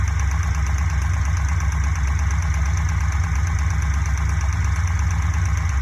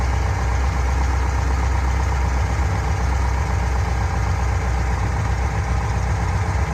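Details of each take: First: Fuel-injected Corvette V8 idling with a modified valve cover on, light steady tick about three times a second; valve train tick suspected at cylinder 3, likely the exhaust valve, from excess valve lash, to be fixed by adjusting lash. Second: Fuel-injected Corvette V8 idling after adjusting a noisy lifter and securing its lock nut: steady, deep rumble and no more clacking or ticking from the valvetrain.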